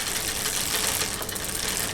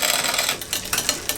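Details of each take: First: Bicycle after restoration from long, rusty shed storage, rear derailleur just adjusted: quiet freewheel ticking and soft chain whir, then crisp clicks as the chain moves across the cogs; normal, clean gear shifting. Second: Bicycle rear derailleur after freeing a tight chain link: fast freewheel ticking with a few chain clacks as it drops a cog, the change lagging rather than instant; indexing needs adjustment.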